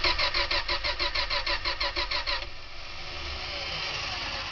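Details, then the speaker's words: '72 Dodge Tradesman van with points ignition, carb primed, air cleaner off: starter spins briskly at about three beats a second with no firing, then stops; cranks but no start, owner suspects no spark and goes for sandpaper for the points. "that does not sound like there's a spark so I turn that off and I'll go get some more sandpaper"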